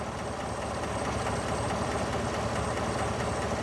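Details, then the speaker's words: 2017 Chevy Silverado 5.3 V8, about 131,680 miles, warm after idling about 40 minutes: steady idle with a faint, quick, light ticking on top. Lifters suspected, not confirmed. "I just want to come and double check it and see if the ticking has gotten worse it's definitely there"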